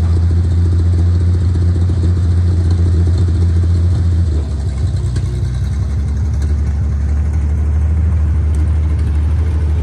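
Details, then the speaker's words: International 1-ton flatbed (stated 1947 or 1949), revived after about 50-53 years, 12-volt with replacement coil lacking required resistor; deep steady rumble dipping slightly in pitch then settling, smooth firing, no miss or knock; normal running. "So we got her running, we got her driving. She does pretty good. She's pretty peppy."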